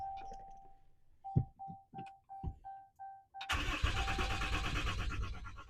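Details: RAM 6.7L Cummins diesel after changing both fuel filters. A chime, then six short crank bursts about three per second, before it catches with a loud uneven clatter while purging air from the fuel system.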